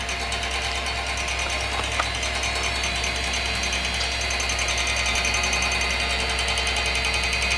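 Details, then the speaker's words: Cooler Master RP-500-PCAR ATX12V 500 W power supply in custom PC, recorded up close while running: constant whirring hum with fine buzzy rattle, unchanging during use; PSU fan rattle, cause unknown. "you can still hear it and that's what I'm trying to capitalize on that noise and it stays like that the whole time period while I'm using the computer"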